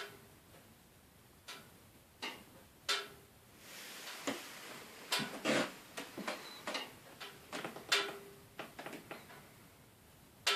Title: Termatech TT20 RS making noise